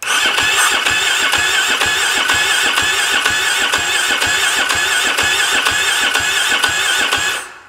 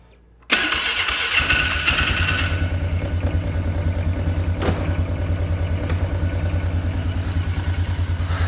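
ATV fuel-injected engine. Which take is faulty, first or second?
first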